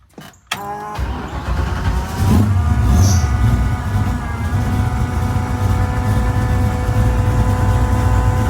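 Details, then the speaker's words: Engine after valve train noise fix, Terminator X with timing tuned and locked in, heard from the front: cranks, catches within a second, steady even idle, no valve train ticking; nice and quiet. "Walk up front, let you guys hear it. Nice and quiet."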